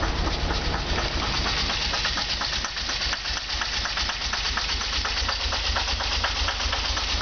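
Petrol engine idling with an uneven, loping beat and irregular ticking pulses, about two a second; rough idle, cause not evident.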